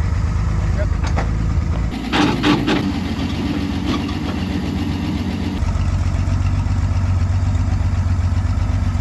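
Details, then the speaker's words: Finished 1953 Chevy 5700 COE truck, revived after about 50 years sitting, now runs and drives: settles into a steady, low idle with an even beat and no knocking; sounds healthy. "it's finally here and it's finally done and it's finally ready for sale runs and drives 1953 Chevy"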